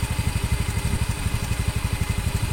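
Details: Honda Beat FI that hesitated after a workshop service; the problem was traced to a bad O2 sensor value, fuel pump pressure is good and the fuel filter was not replaced. After the fix: a low, even single-cylinder putter with no stumbles. Normal idle.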